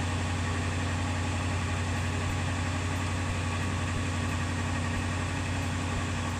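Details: 2006 Ford Econoline E-350 after fuel filter replacement and fuel pump priming, following a no-run breakdown: low, even idle rumble with no misses or surging; idling normally.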